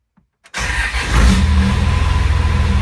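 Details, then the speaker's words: 2nd gen Cummins diesel truck with NV5600 and dual disc clutch, after short throw shifter install, heard in cab with doors shut: starts, then steady low idle, much quieter, clutch rattle no longer audible. "All right, it is much quieter in here. This quieted down a ton. Really, what you can hear right now is the sound coming through the door panels, or lack thereof, but can't really hear the clutch anymore."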